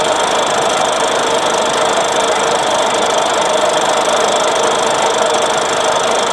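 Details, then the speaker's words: Restored all-original Solex 3800 two-stroke moped engine, rebuilt and run on the bench: steady, high, even buzz with no misses or rattles; passed the bench test without problems. "Eh bien les amis, vous avez vu, il est bien passé au banc sans problème."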